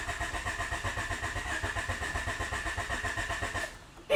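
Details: 1988-91 Honda Civic EF hatchback project car (the stock D15 was bought non-running; B17 swap later): the starter cranks steadily at about six or seven compressions a second for nearly four seconds and it never fires, with no fuel getting through.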